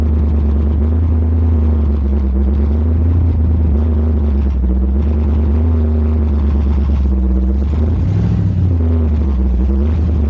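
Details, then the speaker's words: Freshly rebuilt truck engine at raised idle during break-in: steady rumble with a faint uneven lope, number 1 cylinder not firing at only about 30 psi compression; stuck ring or valves after swapping the head suspected. "That number 1 cylinder is still questionable. We only got it up to about 30 pounds of compression. Yeah, it's not enough to fire it."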